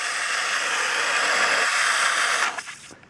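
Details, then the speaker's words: WATTS 1-inch backflow prevention valve in a yard, after repair with a replacement o-ring for a leak that shot a narrow stream from the bottom: steady rushing water flow that cuts off cleanly, no spraying from the bottom; normal flow, no leak. "so water's running through it and it's not coming out the bottom like a water cannon"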